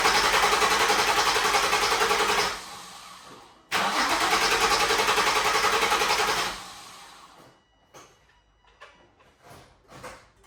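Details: 2004 Nissan 350Z just after fitting new OEM-spec fuel pump, cam and crank sensors: slow cranking, a pause, more cranking while it primes, then catches and settles into smooth even running; normal start.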